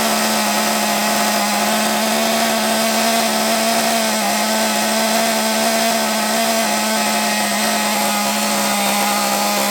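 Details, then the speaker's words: Small nitro RC engine, possibly not yet run in, run off a stand because the flywheel hit it; high buzzy two-stroke scream with faint waver, won't settle to a clean low tick-over; rough low-rpm running, cause unknown. "but it doesn't like low RPM does it don't like low revs don't know why"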